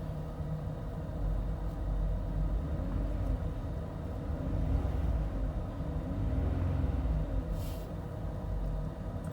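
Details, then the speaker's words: Toyota Highlander 2GR-FE after an overhaul for cold piston knock, warmed to operating temperature at about -40°, heard inside the cabin: quiet, smooth hum with light throttle blips and no knocking; the engine runs healthy. "Просто красота. Итак, ну что, очередной мотор побежден. Все работает, все идеально, все сейчас прогрели, печка дует. Ничего не стучит, не гремит."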